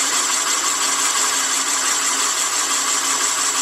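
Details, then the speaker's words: Boring bar cutting a Willys L-head engine cylinder to .080" oversize: steady high-pitched cutting hiss with constant motor hum, no chatter or squeal; clean, even cut. "that sounds pretty good sounds like we're getting a cut let's hope we get it the whole way down"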